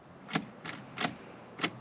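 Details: Carbureted Fairmont, battery hooked to start solenoid, fresh oil and plugs, key on before first start attempt: sharp light ticks, about four in two seconds; normal fuel pump priming.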